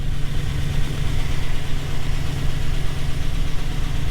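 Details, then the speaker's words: 2007 Chevy Silverado 1500 5.3 V8 just restarted after cylinder 4 lifter replacement (P0304/P0300 misfire, knock), new oil filter, oil pressure full: rough at first then a steady, even rumble with no knock or tick; idling smoothly. "still watching our oil pressure there's full pressure it's going to run like garbage for a second starting to smooth right"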